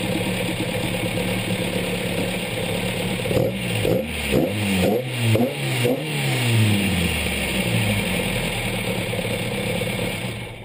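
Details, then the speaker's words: Petrol engine with twin Weber DCOE carburetors, just balanced and mixture-tuned at idle, ticks over smoothly and evenly with a few quick rev rises that settle back cleanly; normal idle. "Cool, now I'm happy with that. The engine sounds good. It's ticking over nicely."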